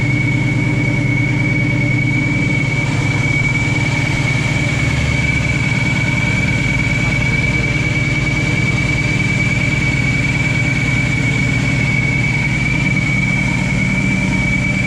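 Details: Mustang 4.6 V8 just fitted with a Procharger supercharger, upper coolant hose and air filter not yet finished: steady, even V8 idle with smooth lumpy pulse under constant high supercharger whine; normal idle.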